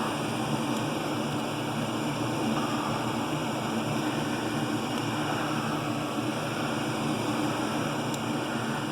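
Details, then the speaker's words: York gas pack furnace calling for heat; the inducer fan hums steadily with no ignition click or burner whoosh, and the continuity test shows the pressure switch open because its port is clogged, so it never reaches ignition. "I don't hear a beep God that frickin switch and closed we're not even getting to the point of ignition here so first thing we want to check is our little port here let's see if she's all clocked up there"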